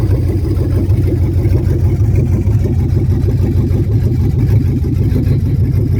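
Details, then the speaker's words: 1975 Suburban with a 6.0 LQ9 V8 swapped from a 2004 Escalade, first start with no exhaust or cooling system: loud open-pipe rumble, choppy and uneven at roughly two pulses a second. Runs rough; owner blames the missing O2 sensor. "missing an O2 sensor, so it's going to run a little weird. There it is. First start."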